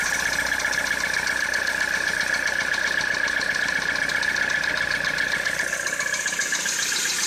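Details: 2013 Citroën C4 engine idling steadily with a fast even tapping of about four per second over a whiny hum; engine knock at idle.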